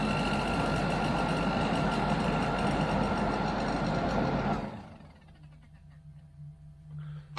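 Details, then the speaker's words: Range Rover Classic hard-dash plastic heater box with a pattern replacement blower motor, bench-tested on a battery: steady whir with a fast, regular light rubbing tick until power is cut. The fan is kissing the inside of its casing. "check it's not actually touching on the we'll take the power off it's just kissing the inside of the casing here"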